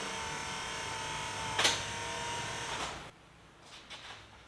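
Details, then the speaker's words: Subaru EZ30D H6 swap with open exhaust, key turned before test fire: steady thin electric whir with brief swish, then cuts off; normal windshield wiper motor operation, not the engine. "that's a new uh new noise see i turned the key word in it's just the damn windshield wipers i totally scared myself"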